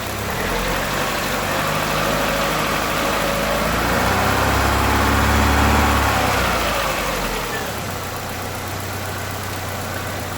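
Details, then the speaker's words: 2007 Chevrolet Lacetti 1.8, cold engine, after fixing the knocking intake manifold length-control flaps; idle sounds the same with the vacuum valve connector on or off: steady, even idle with no tapping from the intake; normal. "сниму разъем одинаково что так что так то есть отлично работает все всем пока"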